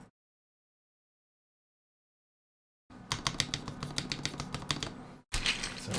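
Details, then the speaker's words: Freshly soldered E6 V2 keyboard build, stabilized keycaps fitted to verify function: crisp, even key clacks in quick bursts with no rattle or tick from long keys; stabilizers working fine. "Sounds great there. Sounds good."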